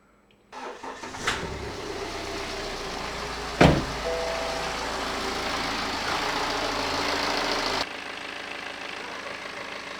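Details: BMW E91 LCI diesel, used replacement engine with new timing chains; starter cranks briefly, catches with a thump, then steady even idle with fan noise behind; healthy, normal idle.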